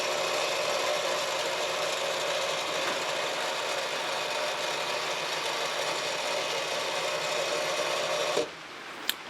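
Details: Alliance HD-73-1 antenna rotator after repair, broken controller actuator switch replaced with SPDT bat-handle toggle: steady even motor hum under rain hiss, no grinding or catching, then stops cleanly; rotator turning normally.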